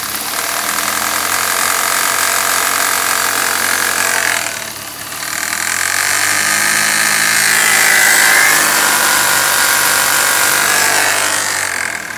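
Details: 1995 BMW 318is E36 with the 1.8 engine: a raspy, high-pitched whirring rattle over the idle swells as revs rise. Abnormal engine noise, source unknown.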